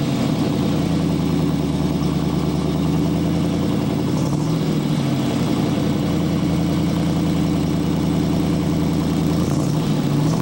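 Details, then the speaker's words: Restored 1969 Camaro Z/28 V8 after rebuild, heard from outside the car: steady, even idle with a smooth low rumble and a unique sound, no knocks or misses; engine sounds clean and healthy. "I know you have no problem sounds awesome here huh it's got a really unique sound I like to hear outside the car"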